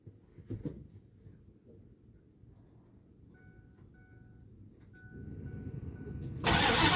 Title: 0 degrees cold start hard start #coldaf #ford #coldstart #automobile #beater